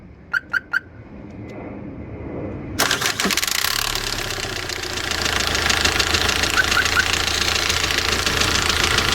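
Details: D4CB diesel van, after break-in: it starts and settles into a steady, pronounced metallic knock, about three to four blows a second.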